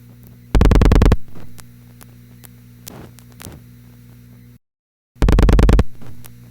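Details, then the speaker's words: Panel telephone switch, dialing digit 6 on an intra-office call: two fast loud bursts of dial-pulse clicking with quieter revertive clicks and a sequence switch "thhip" as it moves to position four and the incoming selector rod rises to group three; normal operation. "[thhip] There's the sequence switch moving again, into position four, and the incoming selector rod heading up to group three."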